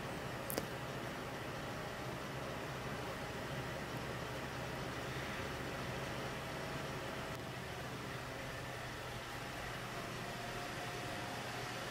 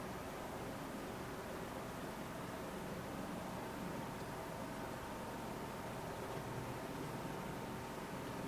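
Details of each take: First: Hackintosh PC with stock boxed CPU cooler during a full-load export, other fans silent: steady airy rush with faint hum, constant pitch; the stock CPU cooler fan running flat out is the only noise source. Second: Arctic Freezer 13 CPU cooler in a Hackintosh built into an old Apple G5 Mac Pro case, under full load while rendering video: soft, even airy hiss with a faint steady tone, no rattle or surging; runs silently.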